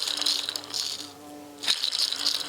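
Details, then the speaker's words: 1990 Formula Konig race car rear axle bearing removed and spun by hand: dry gritty high chatter in bursts; worn bearing with play. Bumblebees in the barn also audible. "So here is one of the bearings, and if you listen to the sound, it really sounds bad."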